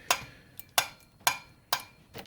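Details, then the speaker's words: Toyota Starlet cylinder head with sticky valves: 6 mm valve guide cleaned by hand with a 6 mm drill bit; crisp clean clicks about twice a second, valve moving freely in its guide. "I'm going to pop the valve in and it should move free as a bird with no lubricant perfect"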